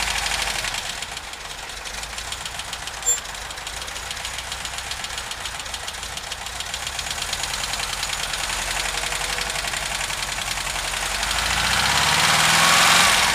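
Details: VW Vanagon T3, strange smoke when cold: fast steady ticking, roughly three to four per second, over a cold idle; engine knock or tick, source not yet pinned down.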